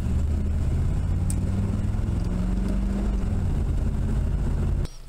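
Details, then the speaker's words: 1981 Camaro Z28 V8, about 200 miles since build, heat-wrapped headers burning plug wires: uneven stumbling idle lope with a skipped beat even after a quick fix; suspected misfire from a burned plug wire, owner also suspects plugs. "I think we still got a miss. Not sure what that is. Just did a quick fix right there on that spark plug."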